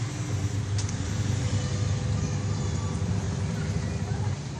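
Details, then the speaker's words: Samsung WA80U3 washing machine after universal control module replacement: steady, deep, even spin-motor hum with no knocks or scraping; spin motor running normally, and the cover switch later stops and restarts it correctly. "Ya, sudah mulai terdengar suara motor spinnya bekerja."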